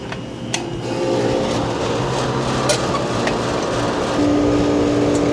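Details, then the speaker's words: Old Rheem-style AC condenser after fan motor replacement (original motor had no capacitor), first run: steady low hum from fan and compressor, slight vibration early, then smooth and quiet. "Little bit of vibration. Nice and quiet now."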